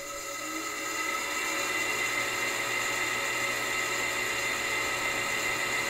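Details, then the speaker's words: Wall AC unit fan running excessively noisy: loud steady whirring drone with several shrill tones, rising slightly then holding; owner suspects a rusted-out fan bearing, not confirmed. "In this video, I'm going to be removing this wall AC unit because there's a problem with excessive noise coming from the fan."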